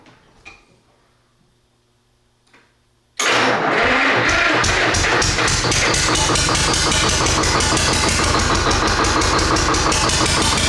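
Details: Rare single-cylinder GM Detroit Diesel 1-71 (about 1938–40), run after freeing a pinched fuel line: quiet clicks, then it catches at once and settles into a loud, even chatter of about three beats a second; a clean start and steady run.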